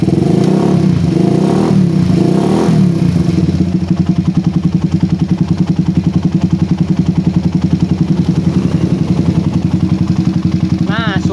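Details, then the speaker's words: Motorcycle with PE24 carburettor after correcting oversized, short head nozzle: steady even idle thumping about 3.5 times a second, no stumbling or hunting; idles cleanly. "idle lebih stabil lagi guys ya berbeda sekali dengan head nozle yang sebelumnya kita pasang di sini suara idle lebih stabil lagi"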